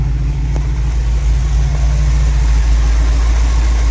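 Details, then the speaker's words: Suzy's V8 idling near the exhaust after the timing was reset to about 10 degrees: a deep idle with an uneven, lumpy beat and dropped pulses, a noticeable miss. The distributor is really offset and will be rechecked with cylinder one at the rotor. "dieter picked up on this right away and uh as you can tell she's got a noticeable miss"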